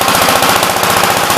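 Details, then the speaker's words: "Big Blue" 53 L single-cylinder engine running outside after a plate patch on the cylinder: fast, sharp, evenly spaced firing beats, steady with no misses or knocks. It now shows oil pressure but leaks oil at the oil pump, and the intake hose fell off again. "So we actually got oil pressure. Sounds a lot better than it ever did."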